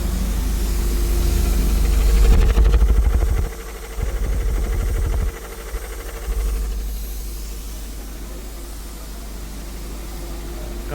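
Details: 2014 Honda Vezel at idle: rough chugging, stumbling unevenly about three times a second, flashing check light; codes for cylinder 1-4 and random misfire (P0303); coils and plugs already checked, injectors suspected.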